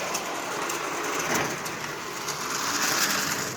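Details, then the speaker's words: Marx 400 toy locomotive stored for decades, likely in a damp basement, first test before cleaning: harsh, gritty whirring with uneven clicks from dry, unlubricated gearing. "it has been stored very likely in a damp basement for decades you can hear how dry it is"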